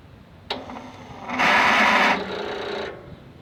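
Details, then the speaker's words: Yard Machines/MTD lawn tractor, 20.5 HP Briggs & Stratton twin, starter jumped directly with a jumper: click, then rising whine as the starter spins without engaging. Battery seems too weak and the key switch is suspected; the starter and solenoid were later replaced. "you could hear the you could hear the starter whine and spin but not engage"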